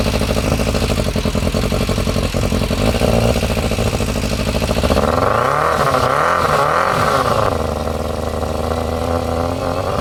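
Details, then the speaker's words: Yamaha Fazer 600 first start after carb clean and refit, needing a few attempts to prime the dry carbs: the four-cylinder catches, blips up and settles to a steady idle, so the carbs are feeding properly. "sounds like it's working"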